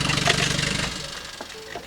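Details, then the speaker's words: 1983 BMW 320i, cold start after sitting unused: a loud, raw, rasping, choppy exhaust idle with rattling, then shut off. There is no muffler fitted, and the exhaust pops when warm. "if you can hear that that is the exhaust rattling and it is very very loud"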